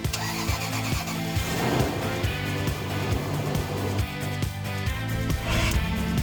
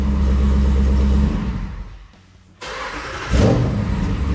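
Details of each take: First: Rough cranking with sharp clicks and gear chatter about twice a second on a Jeep Wrangler's first start after sitting about three months. Starter grinding on startup; failing starter suspected, possibly a loose connection, and the starter was replaced. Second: Jeep Wrangler after starter replacement to cure a grinding startup noise: engine catches at once on restart and picks up to a firm, even idle with no hesitation; starting now healthy.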